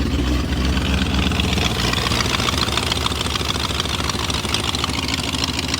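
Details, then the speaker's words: 2000 BMW E39 540i M62B44TU V8, sat with a half-finished timing job and rusted cam lobes, first start on a jump box: steady idle with sharp rapid ticking puffs in time with the engine; suspected exhaust leak at the manifolds, not valvetrain. "I don't know what the hell that noise is though it sounds like there's exhaust coming from the front of the engine that's really weird"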